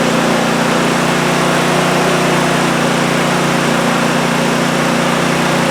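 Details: Cub Cadet ZT1 zero-turn mower that would crank but not start, after repair: small engine running steady and even with a constant throb and no misses or knocks; sounds healthy.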